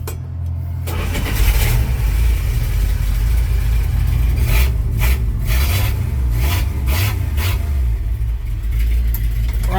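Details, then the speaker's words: 1983 Dodge D150 V8 after a new distributor cap and rotor: a short crank, then it catches cleanly and settles into a steady, even idle with a few blips. It now starts and runs normally. "Runs like new. Okay. Now that it runs, I'm going to take the cap back off and see if the rotor is fouling on the cap."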